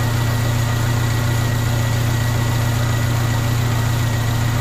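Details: 1998 Honda Civic VTi with erratic idle, restarted after stalling and idle set lowest: low, steady idle hum with smooth even beat, no hunting or surging; idle now low and stable.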